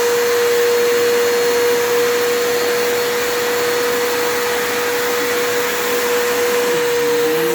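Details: Bissell PowerForce 3537 upright vacuum, caked with debris, first run after acquisition: steady high whine with even airy rush but quiet and weak; motor struggling, owner suspects armature and carbon brushes are worn.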